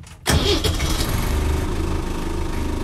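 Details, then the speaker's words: 1972–73 Land Rover Series III 88in diesel hardtop, warm after a short drive: a quick crank and it fires at once into a steady, even clattering idle; it starts nicely hot or cold, and the cold-start aid is not needed. "but it does start nicely whether it's hot or cold not a problem there at all"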